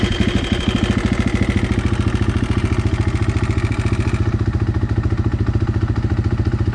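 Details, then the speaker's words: 2016 KTM 350 EXC-F after installing a new auto cam chain tensioner to cure a knocking that came back when warm: steady, even single-cylinder idle thump, about 3.5 beats a second, no tapping or knock; tensioner works. "kidding with yeah that thing works"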